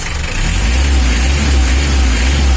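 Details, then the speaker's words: Mitsubishi L300 diesel revved before injection pump adjustment: heavy, uneven, noisy clattering low rumble, rough and strained because the injection pump is set wrong; adjustment makes it smoother. "Ini mesinnya Suaranya berisik tidak bersih ya keratak-kerataknya itu"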